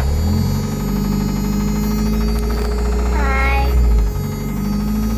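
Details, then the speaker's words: 1994 Toyota Hilux 4x4 pickup, 22RE four-cylinder, just restarted: steady idle briefly swells then dips before settling; occasional idle surge of unknown cause, valvetrain ticking also noted. "that little surge i just heard that and it it does that sometimes"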